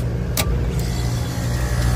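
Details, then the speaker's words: Old Bard AC unit, single phase, right after replacing a rusted compressor, charged with 422B (holds 92 oz R22): after one brief tick, a steady, even low hum with no knocking or rattling. The new compressor runs normally. "that compressor sounds good using that 422b"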